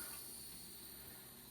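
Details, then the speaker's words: Pressure canner of chicken bone broth jars after cooling and weighted gauge removal: a soft, airy hiss slowly fading as the last steam leaves the vent; normal residual pressure release before lid removal. "You hear that last bit of air that's coming out? We're gonna let it wait about 2 minutes, and then we'll go ahead and take off all of our toggles and remove our lid."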